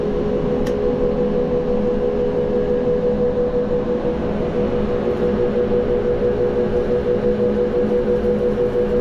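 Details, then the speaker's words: Corn grain dryer fired up again after troubles: a steady, even roar with a constant low drone and no knocks or surges; the fan and burner are running smoothly. "Well I wasn't here today but can you hear that beautiful sound? That is what we've been waiting for."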